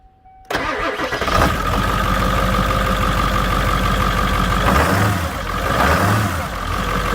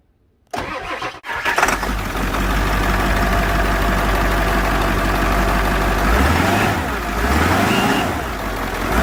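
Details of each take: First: 1997 Ford 7.3 Powerstroke turbo diesel truck, 289,000 miles: cranks, catches, then loud rough rapid injector clatter at idle, loud for years; owner attributes it to old oil trapped in the injector oil reservoir. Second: Ford 7.3 Powerstroke turbo diesel, about 200,000 more miles than a comparison engine, after fresh oil/additive flush of the injector oil reservoir: cranks, catches and settles into an even idle, no clatter, light turbo whistle; normal idle.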